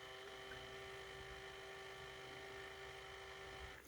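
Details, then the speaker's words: Tyco/AFX CC-03 slot car motor during water-dip brush break-in after reassembly, polarity reversed: steady even high-pitched whine with constant tone as water polishes brushes to commutator; running smoothly. "So it polishes, somehow the water ends up polishing the brushes to the commutator."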